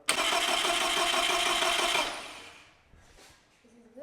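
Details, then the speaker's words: 1975 Land Rover Series 3 with newly rebuilt engine, parked 15 years; steady, even starter cranking for about two seconds without firing, done to build oil pressure before priming the fuel system. "Yeah, go again, keep holding it down. Keep going. And that's us just built oil pressure. Perfect."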